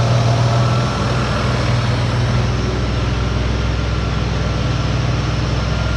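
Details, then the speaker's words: 2004 Ford Escape 3.0L V6 restarted after head gaskets, timing cover, oil pan gasket and exhaust work: steady low rumble that smooths out after a second into an even idle with no hunting or misfire while relearning idle control. "but uh there she goes nice and smooth nice and quiet"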